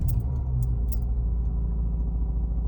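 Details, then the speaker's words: 2016 Ford Fusion 2.5 after shutting off to relearn the throttle body: low idle with a slightly uneven, wavering beat, still not smooth, so the rough idle persists; failing throttle body suspected, not confirmed, later replaced. "So by shutting the car off, it's supposed to relearn the throttle body. Sometimes it works, sometimes it doesn't."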